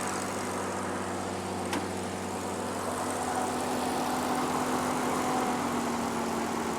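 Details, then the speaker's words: 1950 Dodge Power Wagon 4x4, first start after revival with timing set, needing more coolant and with an oil leak: smooth, regular idle with an even low beat, no tapping or misses; healthy. "that sounds absolutely sweet pie is and nut"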